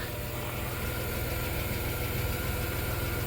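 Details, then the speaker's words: 1991 Dodge Grand Caravan SE back on the road after sitting since 2003, idling after the old muffler was replaced with a new exhaust kit: low steady even burble, no rasp or leak, fuel pump audible; quiet, healthy exhaust. "Yeah, it's nice and quiet. Oh, yeah. All right. Yeah. Awesome. You can't even hear it running. It's quiet as can be."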